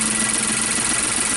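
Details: 2016 Nissan Note, supercharged HR12/E12 engine, P0302, flashing check light, power loss and stalling, listened at the tailpipe: lumpy uneven idle with stumbling exhaust pulse; cylinder 2 misfire.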